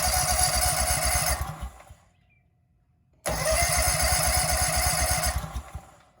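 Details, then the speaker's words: Husqvarna zero-turn mower engine stored four years, cranked with starting fluid sprayed in the intake: two bursts of fast, uneven cranking with rough coughing pulses that die away; struggling to fire, owner thinks it just needs extended cranking. "i just cranked it and it was starting to cough so i think you just gotta crank it for a while"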